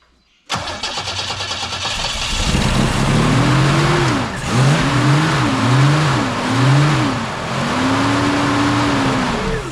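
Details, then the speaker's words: Holden UC Torana, first start with fuel poured down the carby: fires straight up after a short crank, revs up and down in even blips and settles without misses or knocks; runs really good. "Anticlimactic, I know. But it runs and it seems to run really good. Like really good."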